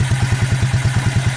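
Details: Suzuki KingQuad 300 4x4, long unused, first start after Mikuni-to-Keihin clone carburetor conversion, choke set: even regular thumping about eight beats a second, single cylinder idling steadily without misses; normal idle.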